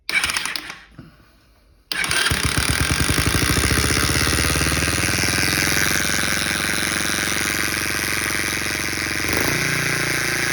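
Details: Freshly rebuilt Baja Motors DR50 (Chinese copy of 2002 Honda XR50) single: fast idle with a constant harsh engine buzz that stops when the clutch is pulled in; owner suspects a bent kickstarter pawl ramp letting the pawl drag on its gear; 2nd and 3rd are hard to shift.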